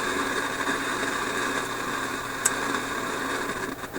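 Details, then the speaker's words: Philips 922 vacuum tube radio after about an hour of running, signal generator audible in background: steady hiss and rough static, an intermittent hash noise heard on all bands, later traced by scope to the first IF stage. "okay so I've had this radar running for about an hour and you can hear my signal generator in the background and this hash just showed up after about an hour yeah that's disappointing"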